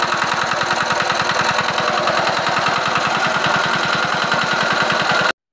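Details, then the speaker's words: Diesel engine after fixing rpm surging by adjusting fuel: even, rapid firing beat holding one steady speed with no up-and-down hunting. "তো এই যে দেখুন আর কোন up down নেই আপনারা দেখলেন ইতিমধ্যে তো শুনুন আবার সাউন্ডটি কেমন"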